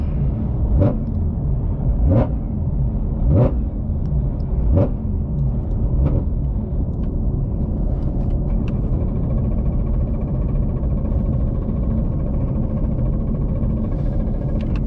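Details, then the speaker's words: Ford Mustang GT350R on test tune, wrench light on, throttle body codes: deep lumpy rumble with heavy uneven pulse every ~1.5 s, limping on like 3 cylinders in fail-safe; owner suspected crank sensor; tuner says normal fail-safe behavior, fine after clearing. "I mean, I know it fail-safed. That was weird as hell. I have no idea. Now everything's fine. I really thought we just blew it up. It was running on like 3 cylinders."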